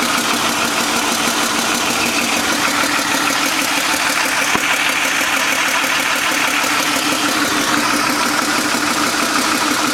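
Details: BMW M52 petrol straight-six idling with a busy, ticking clatter over its hum; weird abnormal engine noise at idle.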